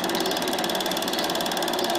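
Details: Bell & Howell Filmosonic Super 8 twin-track sound projector, almost 40 years old, made in Japan, film running through gate with lamp on; fast, even flutter over steady motor hum, no catches or rattles; normal running.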